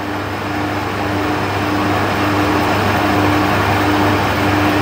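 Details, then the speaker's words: Trotec TTK 75 E dehumidifier, bought because the compressor seemed not to start: loud steady whooshing hum with a constant low drone, no knocks or rattles; the fan is running and the compressor appears to be on. "Nope, the compressor I think is actually on."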